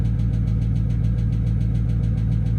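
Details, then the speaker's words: Dodge Charger Scat Pack idling after restarting following fuel pump replacement: quick, even tick about nine a second over low rumble; owner suspects a lifter, plans oil change and moly additive. "D last thing we want to hear is a tick like that guys that's tough put change the oil I'mma put some additives in here probably some Molly whatever that [ __ ] called and uh hopefully it helped that lifter bro that's a lifter"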